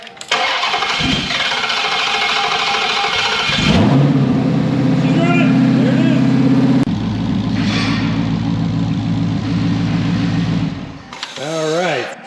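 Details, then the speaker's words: 2021 Widebody Hellcat Redeye V8, in-car run test with a vacuum gauge before teardown. Starter cranks briefly, catches with a loud bark, settles into a deep, steady, even idle; runs good, normal start. "So she's been run tested and she's running good."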